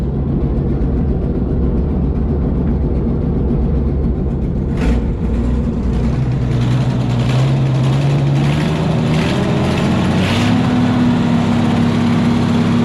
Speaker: Well, that is a finally running 292 Chevy. And I didn't quite expect it to start up so nice. It sounds like it's running good.